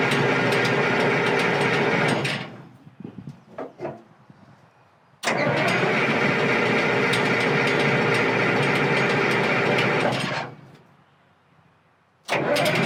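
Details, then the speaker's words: International TD20E bulldozer after fuel filter replacement: it took a while to bleed, then the diesel catches and settles into a steady, even clatter. It stops and restarts cleanly, a normal start. "Did it start up okay? Yeah, it did. It took a while to bleed the, you know, because I changed the fuel filters. But no, once they got fuel started."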